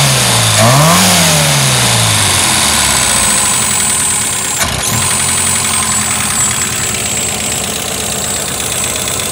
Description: This is a recording of the 2.0L Pinto I have got fitted into my Cortina running ... but making strange noises. It is also down on power.